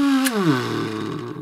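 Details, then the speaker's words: Old Aiwa GS110 Walkman cassette player, first power-up before disassembly: a loud lawnmower-like buzzing whine that drops sharply in pitch and dies within about a second; loud motor noise on power-up, cause not yet found. "all right holy it's like a lawnmower did you hear that let's try again"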